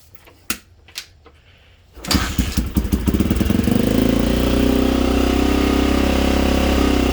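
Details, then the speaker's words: 1987 Honda XL250R RFVC single-cylinder barn-find dirt bike, fresh gas after years sitting, carbs seem okay, restart while still cold: light taps, fires, settles into steady smooth idle, quiet engine; normal start and idle. "so sounds good it's warmed up a little bit we gotta do little baby revs because it's cold sounds great engines nice and quiet she runs good"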